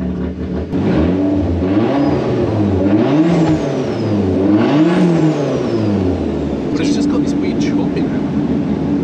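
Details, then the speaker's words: Toyota Camry with a cheap turbo kit and Haltech piggyback, before tuning: uneven, choppy idle with revs hunting up and down a few times a second since first start. Rough idle, cause unconfirmed. "As you can probably hear, the idle is just a bit funky, and it has been since we started it."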